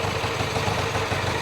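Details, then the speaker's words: Vintage twin motorcycle after kick start, settling to warm idle with both cylinders warm: even, steady beat with light mechanical clatter, no misses or knocks; sounds pretty good. "Oh, it's settling down. Sounds pretty good. Yep, they're both warm. Sounds pretty good."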